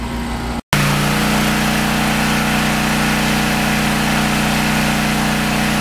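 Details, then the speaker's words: Briggs & Stratton 8 kW tri-fuel generator running on propane under heavy load starting an AC unit: steady even drone, constant pitch, no surging or knocks, much smoother than on gasoline, which still needs work; normal running under load. "underload much smoother much much smoother I need to work on it I need to get it running off of gasoline as smooth as it does on propane"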